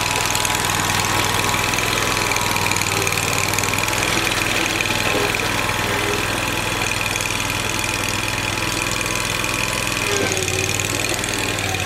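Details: Lawn tractor after fitting an electric fuel pump to fix a fuel problem (float bowl not kept full), driving on grass: steady drone with light even ticking, no stumbling or dying; normal running.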